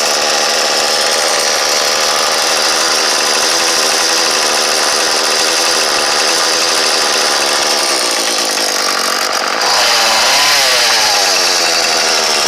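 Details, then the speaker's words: Troy-Bilt leaf-blower 32cc two-stroke, new fuel line and primer bulb, test run for motorized bike: loud buzz held at high revs, steady with no stumbling, brief rev change near end; healthy running. "Yeah, that sounds about right."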